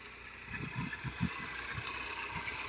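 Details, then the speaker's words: 2009 Mini R56 JCW N14 petrol engine idling after VANOS solenoid replacement, chilly day: steady, even idle with the faint light rattle typical of this engine, no misfire or knock; healthy, normal idle. "They all sound tiny tiny tiny bit ratly these engines just the way they are. But I might say I'm happy with that."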